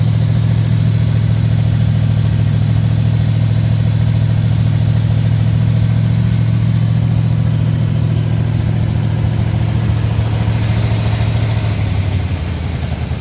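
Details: 1970 Oldsmobile Toronado 455 V8 (375 hp), first start after sitting for years, on a battery charger with the choke held closed: loud, deep idle, fairly steady with a slight uneven lope; it later overheated, and a compression test is planned.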